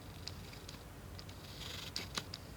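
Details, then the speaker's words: Sony FE 50mm f/2.8 Macro lens on Sony A7III in a quiet room: short high-pitched buzzing whirs in bursts as autofocus hunts back and forth; loud autofocus motor noise. "very noisy isn't it well I guess it's not a big deal for vlog or something like this but I guess it's a big deal for film"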